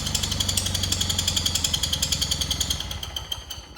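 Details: Cub Cadet Cyclops garden tractor with Kohler 18 twin, cold start after oil change to 10W40, said to be a smoking motor: loud, sharp rapid popping at every firing, rough, tapering as it slows; owner suspects muffler, coil or plug, later finds a blown head gasket.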